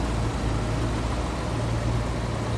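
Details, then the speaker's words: 1962 Ford Thunderbird hardtop V8, warmed up. Deep, steady, even idle rumble with no misses or knocks; the engine runs smoothly with barely any vibration. "Look at how smooth that thing is running. That engine is not even a wobble in there. Doesn't look like there's hardly a vibration."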